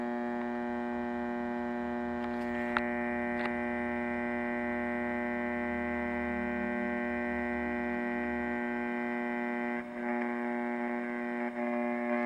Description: This old scanner makes a humming noise that gets worse when a certain capacitor gets poked with poor man's probe.